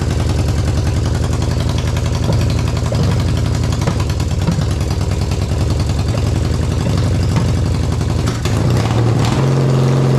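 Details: 1979 Yamaha XS650 after carburetor rebuild (new jets, needle, springs): steady even idle with regular firing pulses and a quick rev blip near the end; runs clean.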